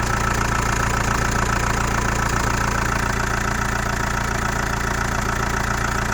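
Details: Chrysler Voyager 2.8 CRD diesel, cold start after sitting a couple of months: a steady, even knock of about three and a half per second over the diesel clatter at cold idle. Source unclear.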